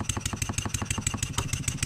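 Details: Stuart 7A steam engine running on air after valve eccentric timing adjustment, upward pressure on the output shaft simulating load: sharp regular knock about six to seven per second with hissing exhaust on each stroke. Knock in the running gear suspected, unconfirmed.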